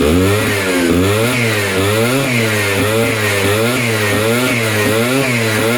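Crisp two-stroke buzz rising and falling with quick blips of the throttle, clean and even throughout, a healthy freshly rebuilt engine.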